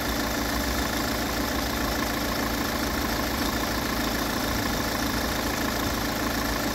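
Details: Peugeot 508 2.0 HDi 163 hp diesel, 2011, 224,000 km, warm idle: steady high whistle over the clatter, silent when cold and growing after a few km; owner suspects the twin-camshaft timing chain.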